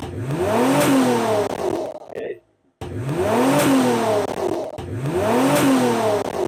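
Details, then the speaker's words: Mitsubishi 3000GT VR4 turbo project car on its first start attempt during restoration. Revs surge sharply and fall back in repeated bursts without throttle input. Chasing down the cause of the over-revving took two to three days of checking. "Now, for what has been a few minutes for you, or even a few seconds, has literally been probably about 2 or 3 days for me, and I've spent far longer than I'd like to admit chasing down the issue of why this is over revving."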